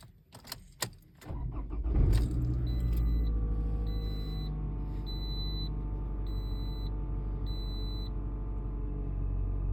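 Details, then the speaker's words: Raviolina first startup after new timing chain, retried after plugging in the unplugged coolant temp sensor: cranks, fires and settles into an even low idle with no chain rattle, faint door chime repeating; healthy. "the cooling temp sensor was unplugged so going to try it [Music] again there you go she ain't rattling"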